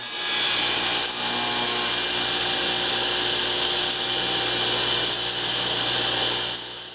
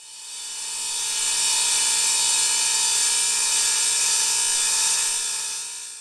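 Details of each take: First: Delta 36-725T2 belt-driven table saw after the zero-clearance insert was sanded to stop the blade rubbing. Steady high hiss and whir of the evenly spinning blade with no grating; running clean. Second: Delta 36-725T2 table saw with a newly fitted hard plastic zero-clearance insert. A harsh, hissy high-pitched grating swells as the blade reaches speed; the blade is likely rubbing slightly on the insert.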